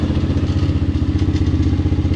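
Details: Kayo MR150 single-cylinder after a manual cam chain tensioner install, electric starter removed and plugged: a metallic crankcase rattle on every firing beat persists, so the tensioner did not fix it; the owner suspects the starter clutch, unconfirmed.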